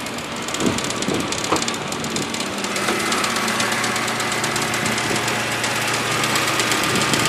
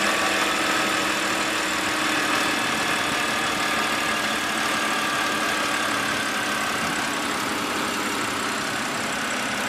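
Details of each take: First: BMW E92 328i N52 idling with a fast uneven marbles-in-a-can rattle after dealer VANOS solenoid replacement; a connector in front of the radiator fan had come loose from its holder and was hitting the fan, reproducible by turning on the AC. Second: BMW E92 328i N52 petrol engine at steady idle with only a light, even valvetrain tick and no rattle. This contrasts with a marble-like rattle that began after the dealer replaced the VANOS solenoid and stops partway through.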